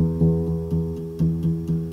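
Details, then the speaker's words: Grand piano muffler install, adjusting the muffler rail throw: repeated notes each carry a faint sharp tick as the hammer clicks against the brass back rail when slid forward; rail is backed away to clear it. "There it's clicking against it. Back it away."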